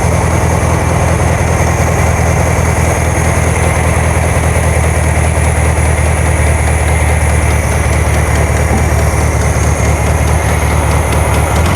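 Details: 1972 VW Karmann Ghia, air-cooled carbureted engine, first run after sitting for many years, choke just adjusted: a steady low idle with a slightly lumpy beat that holds speed; a little jumpy, and the valves have not been done yet.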